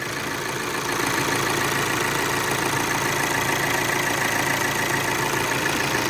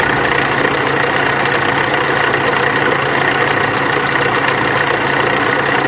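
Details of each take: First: VW Amarok turbo diesel, automatic, after timing belt, tensioner and water pump repair with timing corrected: steady, even idle with a smooth unchanging tick and no knocks or rattles; leak gone, normal idle. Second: VW Amarok turbo diesel: loud idle with rough uneven knock about three per second over constant hum; cam pulley and high-pressure pump timing found out, water pump leaking heavily and worn.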